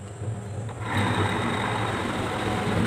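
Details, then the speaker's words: Carbureted Honda Beat scooter, about 2010-2012, with CVT noise complaint; sand found inside from a broken gasket: engine picks up and settles into a smooth, even drone with no grinding or rattling, CVT sound normal, but engine oil is leaking. "lancar aja bunyinya tidak keras normal Ya normal ya"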